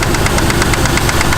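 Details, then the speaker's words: Truck that suddenly developed a heavy knock on a drive: fast, even ticking at idle, loud on one side, while the engine runs without a miss and with good oil pressure; a lifter or anti-lash follower fault is suspected. "It was rapping pretty heavily. So this is what I heard. Yeah, it's a hell of a knock, huh?"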